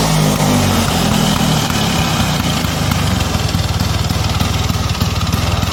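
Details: 1977 Vespa Sprint 150 original two-stroke, with a leak (rembes) noted on the engine: even, low putter at about four pops a second, holding steady with no misses or rattles; healthy idle.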